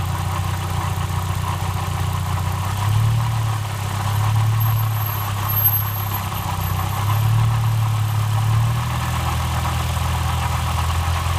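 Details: 1999 VW Passat 1.8T idling with a weird noise, cause unknown: a deep uneven drone that shifts in pitch, plus a faint steady hum above it.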